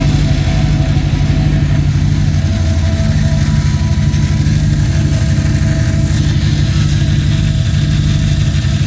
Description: The chain of fittings that contains the pressure relief valve, ethanol sensor adapter and check valve generates this click sound when fuel is flowing through it. Confirmed, not the pump.